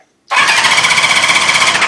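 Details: CB550 project motorcycle with a new battery, cranked on the starter with the clutch pulled in: quick, even whirr with fast regular pulses and no knocks or grinding; oil pressure confirmed, spark not yet checked.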